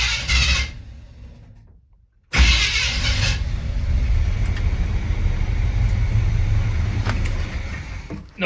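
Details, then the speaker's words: 1970 Chevy C20 V8 truck, choke not hooked up, just after first start: uneven rumble sags and fades within seconds as it fails to hold idle and dies; stalling at idle. "oh yeah sounds good until it dies [Music] and a little all right so it's not getting idle right off the bat"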